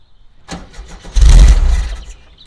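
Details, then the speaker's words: 1970 VW Type 2 Bay Window, 1641cc air-cooled engine unstarted for about 6 months, on easy-start spray; cranks, fires in a short roar under a second, then dies; suspected congealed fuel in the tank, may need fresh fuel. "that's just easy start only might need to get fuel man that is a lack of fuel there's a fuels congealed inside the tank"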